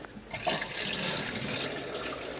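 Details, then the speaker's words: Concealed toilet cistern on a bathroom remodel, original valve refitted after it was thought not to be pushing fully in: steady, even rushing hiss of water filling the cistern, no squeal or chatter; it seems no longer to be passing and fills normally. "if it's passing I think we got it touch that wood Dave there we go done"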